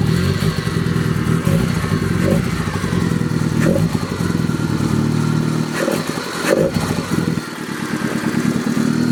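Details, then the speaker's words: 1990 Mazda Miata racecar with a newly swapped engine; slightly rough start, then a steady even idle with a faint light lifter tick, considered normal for a Miata; healthy. "hopefully it starts first crank will find out a little bit of rough start a little bit lifter tick that's normal though it's a Miata [Music]"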